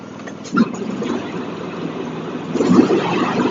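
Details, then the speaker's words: John Deere X324 riding mower, after repair for rich running, run outside with the blade engaged: steady, even single-cylinder running under blade load, no knocking or misfire; some smoke from unburned gas in the muffler. Sounds good. "Pull it outside, engage the blade, see how it sounds. Sounds good."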